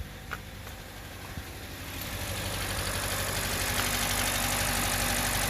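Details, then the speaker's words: 2017 Hyundai Elantra, check engine light and code P0301, which had ingested flood water and stalled a month earlier: an uneven, lumpy, shaking idle from a cylinder 1 misfire caused by a faulty ignition coil. "The car is running rough. It's got a check engine light on."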